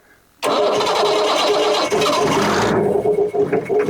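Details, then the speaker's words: 1980 Leyland Terrier diesel water truck, sat about 19 years at a brickworks, started cold: silence, then an instant catch into a strong, even diesel clatter running smoothly; normal cold start. "and that's how it started after sitting at the brickworks for the 19 years"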